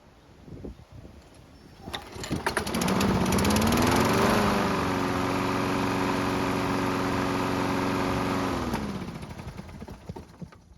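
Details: Used lawn mower after maintenance, hot restart after test run; catches quickly, revs up, settles into steady even beat with no misfire; runs healthy.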